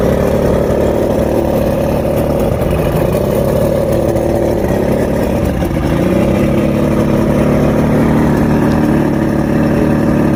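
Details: Rebuilt outboard with all new electronics, after a three-week fix of rough idle, surging and misfires: steady even idle with a smooth low drone and no surging or stumbling; engine now running cleanly.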